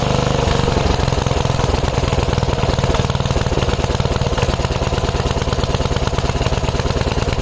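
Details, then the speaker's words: 5 HP Briggs & Stratton on an MTD rototiller, no choke or prime, carb loaded with brake cleaner, hand over inlet: single-cylinder putters fast and unevenly, sounding lean, then stalls. Owner thinks the brake cleaner kept it running that long. "Yeah, I ran with my hand over it over over the inlet here, but there was so much brake clean in there. Maybe that's why it ran that long."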